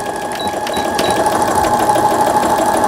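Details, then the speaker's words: Brother Innovis 10 sewing machine after needle bar repair, reverse button and needle bar working: steady fast clatter about three stitches a second with even whirring motor; repair successful, normal stitching. "후진 버튼, 바늘대 상하 성공적으로 되고 있고, 바느질 되고 있고, 수리가 잘 됐습니다."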